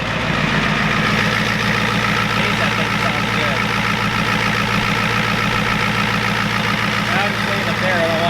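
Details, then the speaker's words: 1993 Ford F-250 7.3 IDI diesel idling steadily after the injection pump was turned up and air purged from the injectors, engine hot; firm regular clatter, no misses or hunting; normal diesel idle. "Running nice now, guys."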